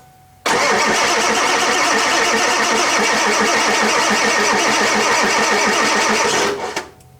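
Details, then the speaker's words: Ford Powerstroke diesel truck that sat 2.5 years, cranked at about 30°F on 7-year-old batteries: a fast, even cranking rhythm for about six seconds before it starts and settles; strong cranking and cold start. "Holy crap! I don't know if you can hear that, but she was cranking over pretty good."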